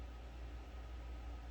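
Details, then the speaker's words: Gas furnace fired up after a new control board, blower motor not turning on: the top inducer blower gives a loud steady low roar, working very hard; the technician wonders whether something on the roof is blocking the vent. "and so that would be the little guy at the top and he is working his butt off"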